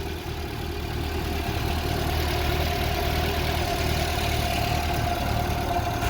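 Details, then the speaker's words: Vauxhall Viva HC with Weber carburettor, warm, after rehardwiring and tuning: steady even low thrum idling about 800 rpm per tachometer, no misses or knocks; healthy idle. "I've done the RPMs which is idling at 800 there that's what it says in the Weber it's listen to that sounds sweet"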